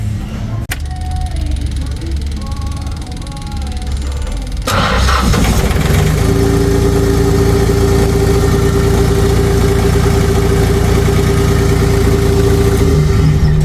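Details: Auxiliary engine that wouldn't start, after new solenoid and fuel pump and rewiring through the main relay: silent, then catches and settles into a steady, even run under background music; starting and running normally.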